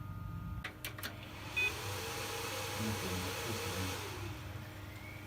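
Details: PC graphics card fan after cleaning with alcohol and lubricating with silicone grease (it had hummed loudly before): steady, even airy whoosh with a low hum and no loud droning; running normally.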